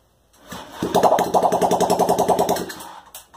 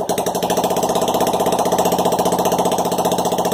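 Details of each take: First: Honda Ruckus project bike, carb refitted, throttle worked by hand, no exhaust fitted: brief burst of harsh rapid popping, catches about two seconds then dies; unmuffled small-engine start. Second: Honda Ruckus project-bike engine first fire-up, no exhaust fitted, no throttle cable so throttled by hand: loud, sharp open-pipe popping at a steady fast beat for five seconds, then cutting out; engine runs fine unmuffled.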